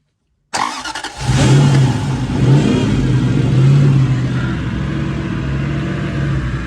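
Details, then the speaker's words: Lexus 1UZ V8 swapped into YN61 Hilux Surf with R151 gearbox and external fuel pump, first official startup, throttle unadjusted so revved by hand: catches quickly, revs and settles to deep even burble; healthy. "Here we go. The the first official startup. Um, excuse me for a minute. I haven't adjusted the throttle, so I'm going to have to do it manually."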